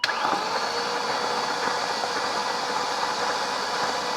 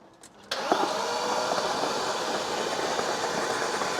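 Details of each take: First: Abandoned BMW Alpina B10 4.6 V8, unrun about 12 years: starter cranks steadily over four seconds with no firing, fuel gauge reading zero; no fuel delivery. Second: BMW Alpina B10 4.6 V8 cranked on a booster after about 12 years sitting, with spark plugs out: fast, smooth, even starter whirr with no compression pulses, turning over freely; compression thought fine since it was parked over fuel consumption.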